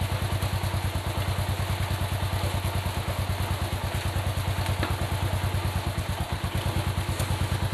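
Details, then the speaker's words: Motorcycle after front sprocket was lubricated then flipped to reverse its position; engine runs with steady low pulse and the front sprocket ticking is gone. "guys sudah enggak ada bunyi-bunyi lagi di bagian depan jadi penyebabnya kalau misalnya aslinya sudah kita pelumas Shinta Pi masih bunyi coba Dibalik aja posisi gear depannya"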